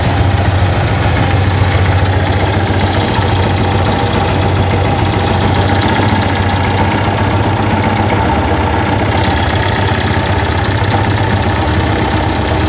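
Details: Unusual rough, rattly mechanical chatter from the engine of a Yamaha FZ16 Fazer at steady idle over a low drone; cause unknown, owner worried.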